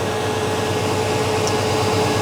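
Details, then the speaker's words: On a 1989 Chevy K1500 with a mechanical fan, the engine is cold after sitting about 16 hours. There is a loud steady air roar at idle; the old fan clutch stays locked, pulling hard when cold. "there may be a slight Roar from the fan as we Crank It Up just because the fan is a little bit tight"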